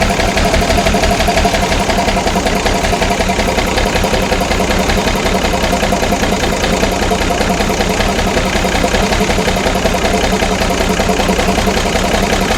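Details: Ex-army International ACCO 6x6 with a Perkins 6354 six-cylinder diesel, idling after the fuel system was bled: rapid, unbroken clatter with no misses, knocks or hunting. Running nicely.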